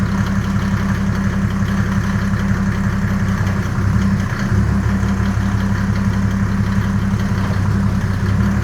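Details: Land Rover 110 diesel build, first start and drive after fitting custom radiator and intercooler: steady, even idle chug with smooth low rumble, no knocks or misses, good oil pressure immediately; normal idle.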